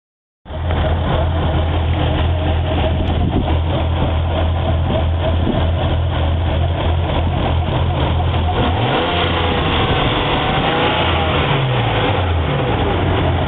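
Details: Nissan RB25DE NEO six-cylinder after changing spark plugs from NGK Iridium BKR8EIX to BKR5EIX: revving and settling with an irregular, choppy pulse like one cylinder dropping out; misfire, cause not confirmed.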